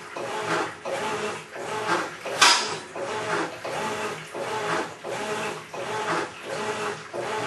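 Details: Maytag Centennial Commercial Technology washer, about 14 months old, just past one-year warranty, overloaded for demo: rough gravelly churning like a cement mixer full of gravel surges with each agitator stroke, under a second apart, no clean motor hum, during wash agitation.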